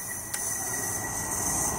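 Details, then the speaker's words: ZF 6HP26 (Ford Territory) clutch-pack air test with the valve body out; the transmission oil is dark. A steady hiss of shop air with a single sharp thump as the piston strokes; the clutch pack applies cleanly and holds. "you can hear that one applying nicely and you can also see a couple of clutch packs there how they're working just yeah try it"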